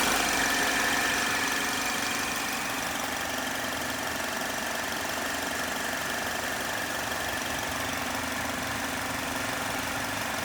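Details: 2010 Chevrolet HHR 2.2 Ecotec at warm idle: fairly even tapping about three times a second over the engine hum; unexplained knock-type noise only when warm.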